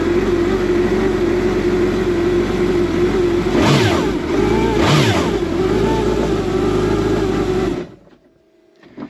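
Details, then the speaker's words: Kawasaki Ultra 310 jet ski with a new Kspeed billet fuel rail and stock 11mm injectors: a steady idle of about 10 seconds, two throttle blips that rise and fall cleanly, then a clean shutdown. The engine is healthy, and the rail, fitting and injectors show no leaks. "So we allowed the ski to idle for about 10 seconds. We gave it a blip of the throttle to double check everything."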